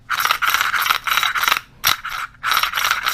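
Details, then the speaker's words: Unmodified Chinese 80cc motorized-bicycle recoil pull starter binding before the fix: rough ratcheting, grinding rasp that drags and almost gets stuck. "it gets tough as you can see almost got stuck really bad"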